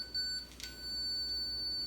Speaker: it's a solid note that means you should stop you should see a red stop sign on the screen as well